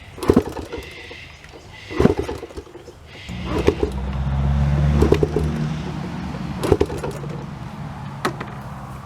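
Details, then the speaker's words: Honda CT110 Trail postie bike left abandoned in a garden: the engine turns over and is kicked with dull thumps every two seconds, giving brief weak puttering with an exhaust hiss, but no start. The clutch slips a little and the exhaust is blowing. "so that's a no the clutch is slipping a little bit you can hear the exhaust blowing I think we've got some work to do"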